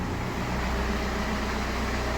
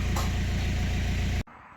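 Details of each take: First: BMW 1 Series (118d/120d) N47 2.0 diesel after repair of knocking, no oil pressure light, oil and filter replaced: steady, even diesel clatter at smooth idle, no knock or misses; perfect start, no lights, no errors, fixed. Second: BMW 1 Series 118d/120d with a 2.0-litre N47 diesel, red oil pressure light on and no brake pedal: heavy idle with a hard, regular knock on every turn, then shut off; engine knock from loss of oil pressure.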